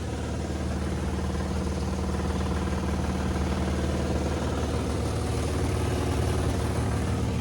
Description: Under closer inspection I had found the blower wheel had thrown one of its blades causing a balance issue.